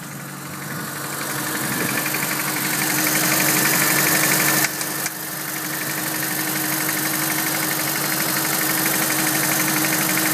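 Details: Mini idling petrol engine with a steady, regular knock of about four beats a second, cause unknown.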